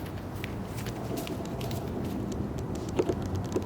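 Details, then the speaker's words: Canon EOS R during a focus tracking test, picked up by the camera's own mic: quiet room tone, then a quick cluster of four soft, dry clicks as the lens autofocus motor ticks while hunting. "now this is a focus tracking test and it does a really good job of staying with me smooth but hold on a second and listen to it you hear that clicking period again here"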